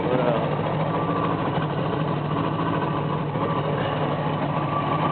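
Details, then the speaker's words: 1977 Dodge Aspen wagon with swapped-in 318 V8 from a '73 Dart, about 93,000 miles, cold with automatic choke on: low uneven loping idle, sputtering at exhaust; owner suspects not firing on all cylinders. "You go around back to the exhaust, it's really sputtering back here too. I don't think it's firing on all cylinders."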